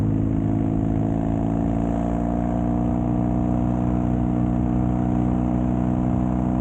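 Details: Custom Triumph Bonneville T100 with Down & Out drag pipes, after stage 1 torque kit and stage 4 ECU remap: deep even low twin grumble holding steady, no pops or backfires; healthy exhaust note.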